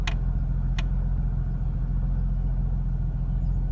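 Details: Smooth, even low idle hum holding steady while stopped, no stumble or surge, a couple of light clicks; normal idle after replacing throttle position sensor to cure rough idle and stalling at stops.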